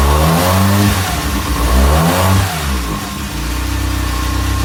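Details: 1987 Toyota Tercel 4WD with 4A-C carbureted engine swap, first start after fuel poured down carburetor, distributor timing not yet correct, water pump unhooked: catches and revs unevenly, rising and sagging before settling into lumpy idle; rough running.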